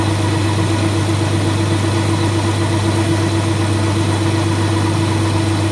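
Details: Colchester Student lathe handling a cut after facing: steady low hum with a strong constant drone; chatter from long unsupported bar stock overhang.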